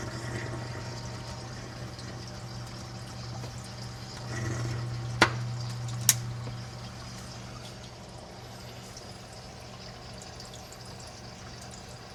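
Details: Reef aquarium protein skimmer with tubing fitted directly into the inlet: low steady hum with gentle water trickle and bubbling, quiet normal running, about 52–53 dB.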